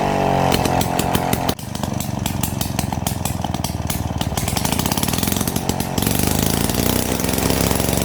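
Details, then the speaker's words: 70-year-old Victa 18 two-stroke mower after full engine rebuild (worn bore, rings, conrod), first test start: crisp rapid popping catches and settles into an even steady run; healthy normal running. "Following the rather successful test start, it was able to get some new stickers."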